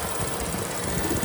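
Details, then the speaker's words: Chevy Cruze after thermostat and heater hose replacement, no leaks: choppy, uneven idle with rough shaking pulse and hissing background; rough idle blamed on a failed PCV valve. "This thing is running like crazy here for the simple fact that we have this issue like this. You hear that? That means the PCV valve is shot."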